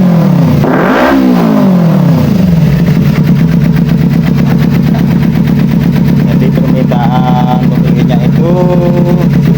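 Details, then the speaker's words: Kawasaki Ninja 250 FI twin after throttle body reinstalled, previously stumbling, low power and weak fuel pump pressure: revs up cleanly and settles to a steady even idle, crisp pickup, no misfire; throttle and power now normal. "Syukurlah, setelah dicoba, akseleratornya normal dan tenaga mesinnya responsif."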